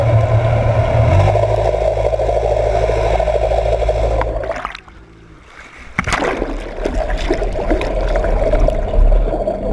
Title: Propeller in the early startings of cavitation